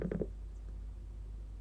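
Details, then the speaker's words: Logic3 TX101 soundbar with power fault, after partial repair: three quick bursts of sound then a faint hum as output cuts out; amplifier still not working, processor switching on. "and died so there is there is sound because there was something but there is a problem still like the amplifier wouldn't work"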